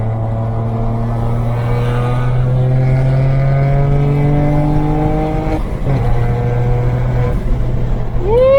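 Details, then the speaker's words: After fixing a boost leak behind a 30FF no-boost code, a BMW 335i N54 accelerates with pitch climbing evenly, a crisp shift midway and no hiss or stumble. Boost is healthy, reaching about 15 psi. "yo it went up to like 15 foot PBS of boost sounds healthy and he wants to move man super satisfied"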